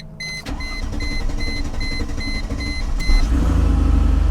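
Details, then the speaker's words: Salvage-auction vehicle with fire damage under the hood, listed as run and drive: chime rings while the starter churns several seconds before it catches and settles into a low idle; long crank before starting. "a little while to fire off she fired up"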